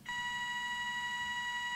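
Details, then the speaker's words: Soviet 1969 "Signal" pocket radiometer-alarm with two Geiger counters including an STS-5, in alarm mode after setting the threshold. A click, then a steady, pure, rather quiet high tone near 1 kHz: the audible alarm triggers when the set dose rate is exceeded. "If the set dose rate value is exceeded, the audible alarm will be triggered."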